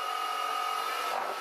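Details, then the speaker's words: Vintage Kargar lathe with new motor on VFD, speed test stepping 10 to 100 Hz (about 85 RPM per 10 Hz): from about 70 Hz the motor vibrates, rough buzzy high whine; owner suspects imbalance or bearings loosening in the housing. "At about 70 Hertz the motor starts vibrating. And you can really hear that. It's probably an unbalanced, but it might also be the bearings working themselves loose again, in the housing."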